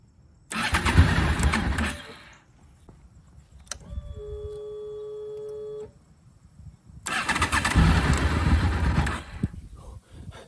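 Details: Honda VFR800 5th gen V4, first start after 8 years of storage, fuel pump refitted and tank leak fixed: starter whirs, engine catches and revs rough and uneven with pops, then settles; water suspected in the exhaust.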